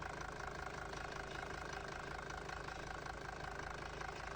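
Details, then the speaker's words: Mercedes 240D diesel from a junkyard, off the road since about 2017, first start with oil pressure showing: even diesel clatter at idle with a steady rhythm and no stumbles; running smooth for its age. "Check this thing out. It's running pretty dang smooth."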